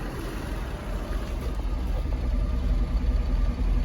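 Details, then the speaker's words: 1964 Chevrolet C20 engine first run after sitting 19 years, carb fed by temporary fuel pump: low, lumpy idle with irregular chuff two to three beats a second, rough like a tractor; oil pressure good at 40 psi, smokes. "it doesn't sound the best sounds like a tractor but"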